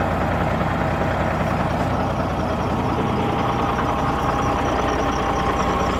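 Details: Kenworth W900 Cat diesel engine idling after reassembly. A steady, even idle with a smooth low rumble and no knocks or misses; it sounds good.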